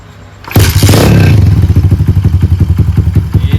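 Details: Honda Monkey-style Stallions minibike after fitting a Dash carburetor: small single fires up and settles into a steady, even thump around three to four beats a second; normal idle.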